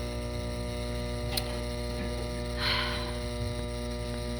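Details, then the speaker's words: Furnace induction fan switched on to test it: steady electrical hum with grinding, and the fan does not turn, so the inducer motor is seized; it has failed and been replaced several times before. "it sounds like it's not going to turn because all that grinding noise in here that's this making that noise i can feel it too"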